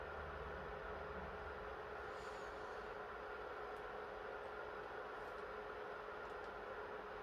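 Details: PS3 after NEC/TOKIN capacitor repair, previously shutting down on PS2 Classics and The Last of Us, keeping temps below 65 degrees: quiet steady airy rush with faint even hum, no rattles or surging; fan running smoothly under load.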